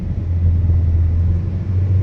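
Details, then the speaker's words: Mitsubishi New Cedia 4G18 with LPG kit fitted three months earlier, switched to petrol: steady even engine hum, no misses or stumbles; normal running, smooth and strong on petrol, unlike weak hesitant running on gas. "น้ำมันนะครับน้ำมันน้ำมันดีเลยนะครับวิ่งดีเลยน้ำมันปื๊ดเลยลื่นเลยแรงดีเลย"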